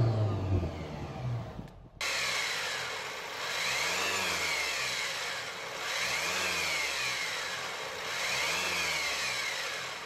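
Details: Land Rover Discovery Sport Ingenium engine at idle: whirring whine that swells and fades every couple of seconds, a balance shaft fault; scored needle bearings are suspected as the cause, and the fix requires engine removal.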